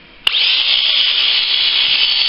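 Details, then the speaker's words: Philips cordless shaver after modification, with the charging system removed and the motor wired directly to a higher-voltage DC supply through a small cord: a click at switch-on, then a steady, high, even whine at constant speed. The motor now runs at normal, healthy rpm. "sounds much better than it did this is the rpms now that sounds normal yeah i have a little small cord on it"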